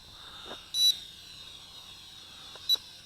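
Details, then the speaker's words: HJ818 Pathfinder hexacopter toy drone, fitted with a higher C-rated battery in place of the stock one, emits short high beeps about every two seconds: armed in flip mode, beeping until a flip command is given. "If you hear that beeping, that means it's ready to flip. And it's not going to stop until you provide a flip command to it."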